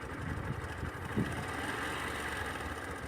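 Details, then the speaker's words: Sundiro Honda CBF125T single-cylinder motorcycle recorded on phone: light busy metallic rattle, faint at idle, clearer when closing throttle and at cruise; timing chain rattle, otherwise quiet bike, rideable. "现在给大家听一下那个链条声吧，不知道能不能听到，因为我没有用录音笔。怠速比较听不出来，但还是有那么点。对，回油门的时候你们就听到了。"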